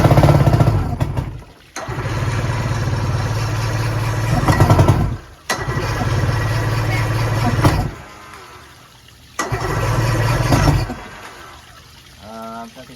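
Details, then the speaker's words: 1990 Johnson 130HP outboard, formerly seized and sitting 10 years, with fuel lines missing. It catches and runs rough for a few seconds, then dies repeatedly. The carb bowls are empty; the owner suspects the fuel pump. "I should choke it some more fuel in it put us shove fuel down her throat she must take a lot of fuel oh the bowls are empty it's not sucking the fuel pumps something's wrong with the fuel pump"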